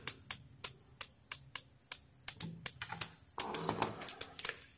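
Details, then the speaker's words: S-500-12 12 V 40 A 500 W industrial SMPS (KA7500/TL494 half bridge) powered through a series lamp: uneven sharp ticking over faint hum and whistle, output 17–20 V fluctuating and unregulated; fan also stuck. "nó có một số tiếng tích tắc, một số âm thanh vo ve và nó cũng dao động. nếu chúng ta kiểm tra điện áp DC điện áp đầu ra của nó, trở lại tích cực. chúng ta có thể thấy nó đang dao động và đầu ra của nó rất cao so với bình thường và đầu ra không được kiểm soát"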